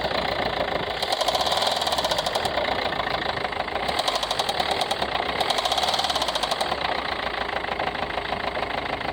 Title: ford c max 2015 tdci engine knocking tapping any ideas